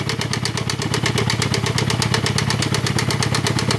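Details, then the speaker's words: 1.6 16-valve small SUV (brought in non-starting, plugs just replaced) at rough idle: steady chuffing pulse and heavy hissing crankcase pressure, more noise from the lower engine, strong flow from the oil cap; compression cylinder 1 zero, cylinder 4 not holding, blue smoke — blow-by from broken piston rings suspected. "Y el carro se le oye este ruido. El ruido se incrementa en la parte de abajo. Se escucha mucha presión. Y mucha salida por el tapón del motor."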